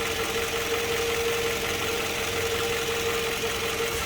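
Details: Toyota Harrier petrol engine during morning warm-up, idling roughly with RPM needle rising and falling and the engine shaking; an irregular low thump under a steady hum, suspected combustion leak, pointing to a cylinder misfire.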